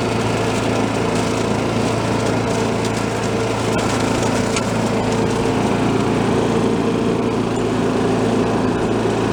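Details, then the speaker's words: Troy-Bilt chipper vac small single-cylinder engine running outdoors after a warm restart, following carb work (O-ring still awaited): steady and even with no missing, surging or stumbling; runs normally. "What do you say we go out in the yard, fire it up, and see what it does? See how it starts up after it's warm."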